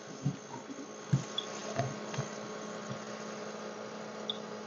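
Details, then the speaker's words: Three-year-old Edgestar cooler that had stopped cooling, microphone placed close to the unit: quiet, steady low hum with a few light taps over it as the compressor runs smoothly again; the fault was traced to the starting relay. "yeah yeah I feel the condenser going and yeah there you go that's what it was that relay right there"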